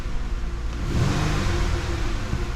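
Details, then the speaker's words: 2012 Chrysler Town and Country van with idle shake, coil packs already replaced: deep lumpy idle with uneven chuffing beat and shake; scan shows steady cylinder 6 misfire, coil ruled out, suspected injector or base engine problem such as low compression. "Cylinder 6 has still got a misfire. Pretty sure we have an injector issue going on there, or we have a base engine problem."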